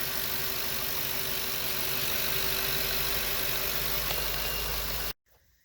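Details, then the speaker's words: GM 8.1 Vortec V8 in an RV, idling with fan blade removed during radiator cleaning: steady quiet drone with no ticks or misses, then shut off; smooth healthy idle. "get that seat belt buzzer it's unbugging but you see we got no fan blade fairly quiet smooth engine"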